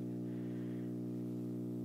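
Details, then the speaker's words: Constant low buzzing hum from a Bang & Olufsen receiver with no cable plugged in, where there should be none; louder when the cable is unplugged, new since about last night; owner asks if grounding, cause untraced. "this is without the cable plugged in there shouldn't be any hum without the cable plugged in none but there's more"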